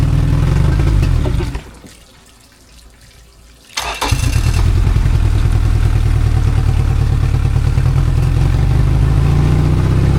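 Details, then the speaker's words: 2002 Yamaha 90hp outboard revived after sitting two years, cylinder one compression 95 vs 125, freshly reassembled and run on a hot day, idling at spec around 800 rpm with a small irregular hiccup; owner suspects a carb screw needs adjusting. "It's a 800, but there's a little You can hear that there's a little hiccup. So, I got to investigate."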